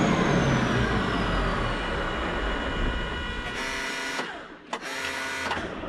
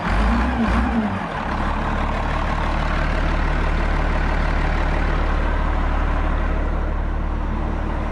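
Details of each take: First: 8.3 Cummins road grader diesel, running better on suspect paint-thinner-smelling fuel, then sags and cuts out, catching only briefly: fuel shutoff solenoid pull-in wire has power but hold-in wire is not getting power. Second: Rebuilt 8.3 Cummins diesel in a road grader, rear crankshaft pump drive removed to eliminate a knock: deep, steady drone with no knock; runs well, though a starting problem remains, suspected failed pump advance.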